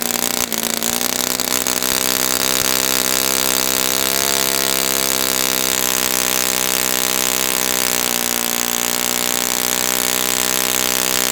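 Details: Brand-new customer Saito FA-100T twin glow engine on test stand, break-in run: steady high buzzing drone, even pitch with gentle wavering; running rich, oil dripping from exhaust, not lean. Normal rich break-in run.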